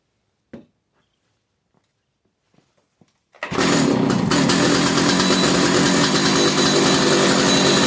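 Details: 50-year-old Stihl 056 AV two-stroke chainsaw, 20-plus-inch bar, long unused, first run after restoration, started with brake cleaner: fires and holds steady high buzzy run without cutting out, a little smoky; running fine, tune-up planned.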